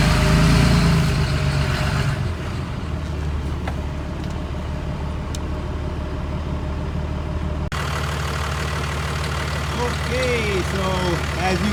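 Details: 6.4 diesel with 5R110W transmission after replacing a locked-up low-stall torque converter that stalled the engine in gear: steady, even diesel idle with a low rumble holding smoothly in Drive, no stumbling or stalling; truck now moves under its own power.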